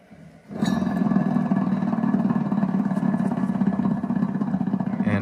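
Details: 2020 Bad Boy Maverick 60-inch mower deck, 77 hours, spindle turned on the chute side: steady rough gritty rumble; failed spindle bearing, replaced with 6206-2RS C3 bearing.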